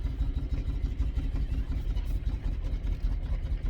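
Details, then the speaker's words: Toyota Surf with a 1UZ V8 conversion, driven into the workshop with its ignition coils wired the wrong way round. Low, lumpy, uneven chuffing with missing beats, running on about two and a half cylinders; multiple-cylinder misfire. "so this is um driving very nicely into the workshop as you can hear it's running on about two and a half cylinders"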